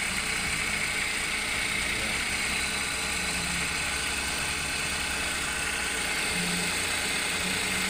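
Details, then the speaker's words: Engine running after the belt tensioner bearing was repaired/replaced and refitted: steady, even running with no squeal, chirp or bearing growl from the belt side; noise gone, quiet normal running. "Ayan mga kapatid, ayan, nakabit na. Andun yan. Wala nang ingay, tahimik na."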